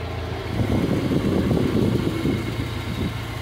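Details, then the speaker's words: VW Jetta Mk3 at idle after installing the fan belt so both radiator fans run: steady petrol idle with even rushing air from the two fans, no rattle, scrape or whine; normal, not noisy. "miren ya están girando los dos ventiladores todo jala súper bien se escuchan bien No se oye ruidoso"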